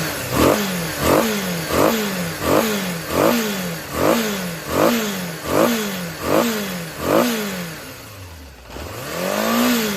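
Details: Yamaha XJR400 (RH02J) engine assembly H501E, sold as running with no abnormal noise or white smoke, compression measured: throttle blipped about every 0.75 s, revs rising and falling cleanly with no knock or rattle. Normal running.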